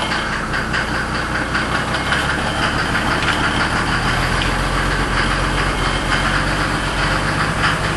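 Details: 1992 Mercedes 300SD diesel idling, the car also smoking. A hard, regular tapping knock rides over the diesel clatter at idle. The noise is the one the owner has been complaining about; its cause is not yet known, and the owner doubts a filter was to blame.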